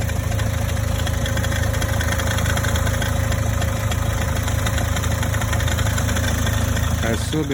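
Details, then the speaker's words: Toyota Corolla E150 petrol engine idling on cold start, heard near the right front wheel on the passenger side: quick metallic ticking rattle like an alternator bearing, lasting 1 to 3 minutes; cause was the belt tensioner pulley. "Особенно хорошо это было слышно возле правого переднего колеса с пассажирской стороны. Звук цоканья, как будто подшипник генератора гремит."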